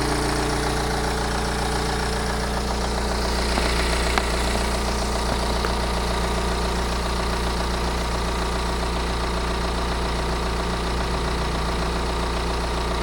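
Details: 2009 BMW 318 with N47 diesel: steady idle with a light, fairly regular rattle about four times a second on top; timing chain replacement suspected, not confirmed.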